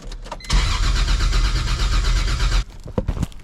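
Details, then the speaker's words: E46 BMW M3 with 1.5JZ engine swap, first crank after two-year build: strong even starter cranking about four beats a second, never catches; no base map loaded yet. "What the hell? It cranks! Now we just gotta get the base map on this thing and hopefully it fires up. But it cranks nice."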